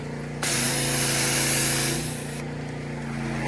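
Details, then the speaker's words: Generac One Wash pressure washer (2015) with Honda-clone petrol engine, just started: engine hums steadily while spray hiss cuts in for a few seconds then drops back as pressure builds; normal pressure cycling during warm-up. "it's still catching some of the pressure cuz even though it's on it's still getting pressure so it'll cut in and out a while and then it'll be fully ready to go"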